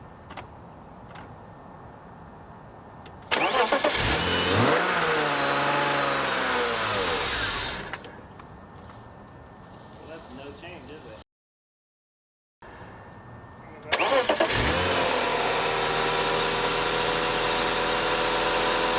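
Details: 1998 or 1999 BMW E36 M3 convertible petrol engine, 160,000 miles: starts, revs hunt up and down, dies, restarts to an uneven idle; ICV replacement didn't help, runs fine with mass airflow sensor unplugged, so faulty MAF.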